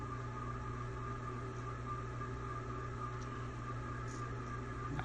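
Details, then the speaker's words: Old rental-house ceiling fan running reversed at full speed: steady hum with thin high whine and squeaks from crusty, likely long-ungreased bearings; blades possibly unbalanced. "You can definitely hear actually starting to hear a little bit of squeaking in this direction. It's definitely crusty though."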